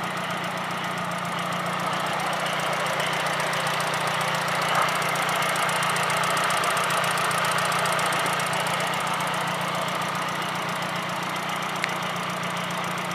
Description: Injectors ticking?